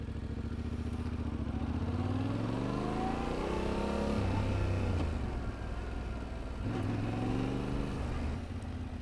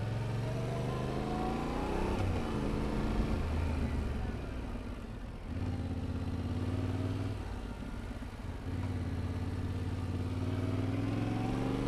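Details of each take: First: Motorcycle first-to-second upshift deliberately made clunky to show poor clutch and throttle coordination; revs climb then drop sharply at the change with a jerky clunk before pulling again. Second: Motorcycle demonstrating smooth upshifts as the goal for rookie riders: engine note rises steadily, dips briefly at each change, climbs again with no clunk; smooth gear shifting.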